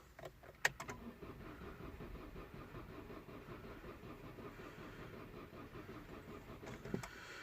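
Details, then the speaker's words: 2006 Vauxhall Meriva with a replacement engine, ignition disabled, throttle fully open during a relative compression test: quiet, even cranking chuffs with a slightly uneven beat; one cylinder at 70%, suspected blown head gasket. "70% on cylinder 2 which is very low so we know the head gasket is a potential problem"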